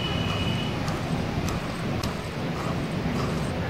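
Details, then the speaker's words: DC motor for a water pump, spinning freely with a straight pulley: a steady low hum with a rough, grainy buzz and faint irregular ticks coming from inside the motor. Internal noise flagged as a fault to check before buying. "आपको यह आवाज सुने दे रही होगी इसके अंदर से आवाज भी ए रही है तो इन सब चीजों को भी नोटिस में लिया करें"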